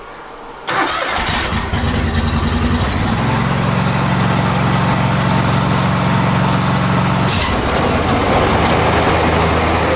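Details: Zero turn mower after replacing spindle and idler pulley bearings: engine fires, settles, then rpm raised to a steady smooth drone with no grinding or rumble from the deck; normal running.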